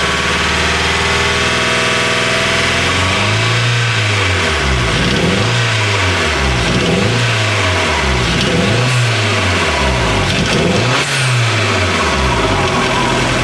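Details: Nova Turbo misfire under repeated throttle blips: revs rise and fall unevenly with a rough, stumbling note.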